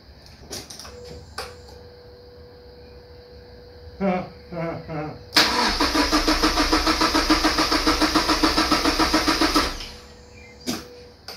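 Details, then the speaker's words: Mazda MX-5 NC after engine transplant, cranked with plugs and coil packs disconnected to build oil pressure: starter spins engine with steady even chug for about four seconds, never catches; normal cranking without firing. "we're going to crank it um to get oil flowing around the engine basically and then we're going to reconnect all of them drank it again and hopefully something will happen"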